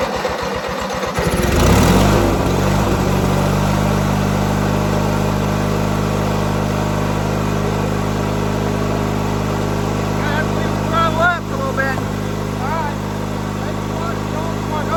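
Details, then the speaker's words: 1997 MTD Yard Machines riding mower, tank refilled from empty; idling with an uneven, lumpy beat and wandering pitch, running rough and unhappy. "It's probably not going. it's not happy."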